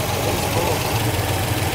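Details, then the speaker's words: 1973 Buick Electra 225, 455 cu in V8 with 90s speed parts, sitting 15 years: loud, slightly uneven lumpy low idle as the overfilled carburetor floods, fuel pouring out. "All right, it's pouring out everywhere, dude. - Yeah, it's too full. - It's too full, but it's not going, go ahead."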